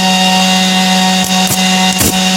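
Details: IGBT PWM inverter welding machine (Smart Welder) repaired for lost output, open-circuit voltage 57 V, set to 20 A: steady low hum with short crackling bursts as the arc strikes; welding normally after repair.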